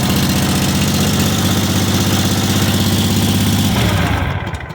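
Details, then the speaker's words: Everride Warrior 60-inch zero-turn mower with an air-cooled 25 hp Kawasaki FH721V engine, whose slow starter caused no-start and backfiring: steady, even thump at fast idle with no misses or pops, then a smooth wind-down. "if it seems like it's slower than normal just replace that starter and you'll be good to go"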